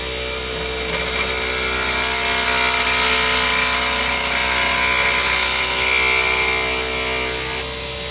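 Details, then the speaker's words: Skew chisel turning an alt ebony pen blank on a lathe, cutting at the center: steady even hiss of wood peeling with lathe hum, no rhythmic chatter; clean cut without vibration. "And you can hear that I'm just taking off material. I'm not chattering."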